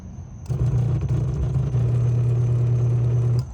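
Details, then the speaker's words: Frigidaire dishwasher (no display, no power, i40 error), float switch under the base lifted by hand: drain pump starts abruptly with a steady low hum for about three seconds, then cuts off; drain pump running normally, indicating flood detection. "Now, you have a switch on the inside. And what it does, it goes up. It turns the machine on. You hear the drain pump."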